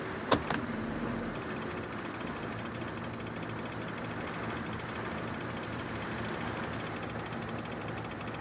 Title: Clicking noise